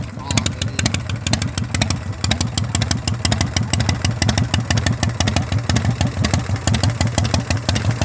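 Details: 1982 Harley shovelhead, first-crank start on new straight shotgun pipes: loping, uneven V-twin idle with loud, sharp exhaust pops, steady and even-running with no knocks or misses; normal idle.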